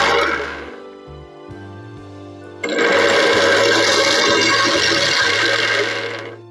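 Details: Blender after replacing the leaking blade assembly with a new one: steady even whir over background music, no rattle or grinding; normal run after repair.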